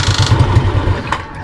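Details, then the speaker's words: Small single-cylinder Suzuki Smash motorcycle, stock ignition coil, putters at a quick, slightly uneven beat that eases off as it settles during warm-up with the engine still cold; runs fine, normal cold idle. "Ay mga lodi, medyo nilalamig pa siya."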